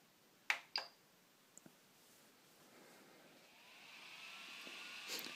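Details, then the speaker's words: Prusa i3 MK2 3D printer self-test before calibration, fan check: a couple of light clicks, then a soft airy whir swells and holds steady; front cooling fan confirmed spinning, normal. "on vous demande si le ventilateur tourne on l'entend bien donc oui cette fois ci le ventilateur avant c'est bon"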